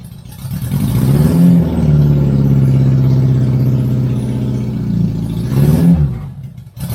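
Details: 1983 Honda Goldwing GL1100 barn find, first run after sitting, fresh gas and a fuel filter added, old oil still in, brakes not yet done: deep, smooth flat-four hum swells with two throttle blips and settles evenly, running healthy while warming up.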